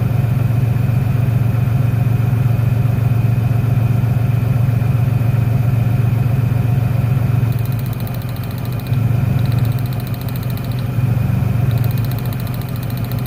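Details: 1996 Ford Ranger 3.0L V6 lacking power, exhaust vibrating, lumpy uneven idle that sags further as each plug lead is pulled in a cylinder balance test; one cylinder is not firing.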